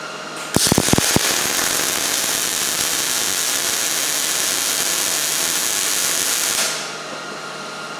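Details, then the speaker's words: Miller Millermatic 211 MIG welder on about 1/8-inch steel, second bead with voltage turned down too low: harsh, uneven crackle with stuttering gaps instead of smooth sizzle; arc skipping, poor penetration, bead sitting on top. "you probably heard your well they're just skipping there a little bit so that second bead there that's where the voltage turned down to low"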